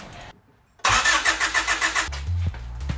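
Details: Honda Civic EK after a D16A engine swap: the starter churns in rapid pulses for about a second, but the engine cranks without starting; sensors are being unplugged to diagnose.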